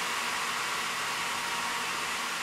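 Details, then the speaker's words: AMD Radeon 6990 graphics card blower fan run after full load in a benchmark: strong, steady rush of air with a distinct whine, easing as the fan slows to 57 percent but still very loud. "it's sort of slowing down you can hear that whining noise we're now at 57 and it's becoming a little bit more bearable still very very loud though"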